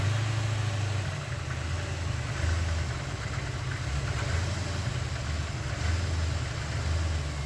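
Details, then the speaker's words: 1988 Corvette (owner unsure, maybe 1989), sat over winter, just started after hotwiring a rewired connector: lumpy, uneven idle that sags and stumbles, misfiring; ignition timing not yet set. "Doesn't sound like the happiest thing on earth, but let's see what happens once it runs a little bit and actually gets some life back in it. Okay, it's kind of running. It has a misfire to it."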